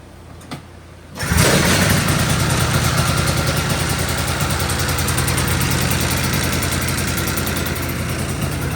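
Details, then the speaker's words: 1983 John Deere Liquifire snowmobile two-stroke, run without airbox on 40:1 premix plus oil injection, primary clutch worn out: fires, then slow uneven burble that sags and nearly stalls, smoking heavily; idle speed set too low. "The idle's set way too low right now, but it's also running 41 mix plus it's oil pump. So, it's really huffing the oil."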